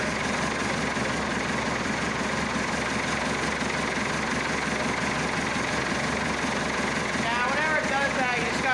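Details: Massey Ferguson Super 90 diesel tractor just after replacing a faulty negative ground cable that caused slow cranking and no-start; started with clutch pushed, now fixed and held at cold idle, not revved. Steady, unhurried diesel clatter with no misses or knocks; normal cold idle.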